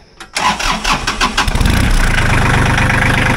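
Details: John Deere 1050 diesel tractor after fixing a loose starter connection and preheating with glow plugs: starter cranks briefly, then the engine catches at once and settles into a steady, even idle; healthy start.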